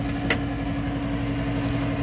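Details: Nordyne package gas/electric unit, about 15 years old, running after jumper-started heating cycle: steady even fan hum, constant low drone, one brief click, no rubbing or wobble; blower and inducer healthy, though a small gas leak was found at the gas valve.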